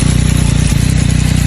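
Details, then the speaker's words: Motorcycle engine idling with a steady low throb and a dry, rattly metallic friction rustle from the timing chain tensioner, a noise that tends to appear at start-up or when cold. "es el ruido del tensor de distribución. Suena como fricción metálica y suele aparecer al arrancar o en frío."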